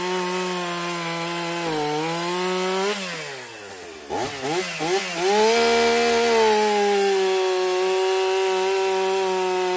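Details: Stihl MS 362 chainsaw, about 7 years of hard use, brought in hard to start and low on power, after servicing: starts and runs excellent cutting very hard wood (maple or oak), clean steady two-stroke scream dipping under load and recovering to strong even high rev; normal.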